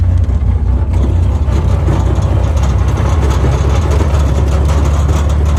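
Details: Newly acquired Willys Flat Fender Jeep, old four-cylinder engine at idle. Deep, uneven rumble with a faint irregular tapping; the owner is trying to find where the weird noise comes from.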